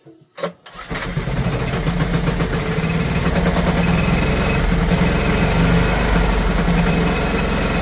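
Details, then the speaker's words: Old Honda generator stored 20 years, barn find: brief crank, then catches and runs steadily fast only with throttle held open; owner suspects a carburetor issue from long sitting. "I think, you know, we've just got a carb issue where it's been sitting so long. I really do. I think it's just a carb issue, guys. Let's hold that throttle open."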